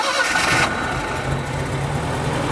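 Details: Wood-gasifier truck restarted running on wood gas with all four pipes fully open after it starved for fuel on one; engine fires straight away and settles into a steady, even mid-pitched run with no stumbling, a clean start.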